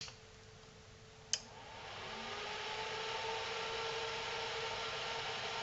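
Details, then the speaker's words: Selco Genesis 140 A inverter arc/TIG welder powered up again after repair work: a click at switch-on, then a steady, even cooling fan whoosh with no buzzing, rattles or other bad noises; normal running. "so no horrible noises just leave that on for a bit"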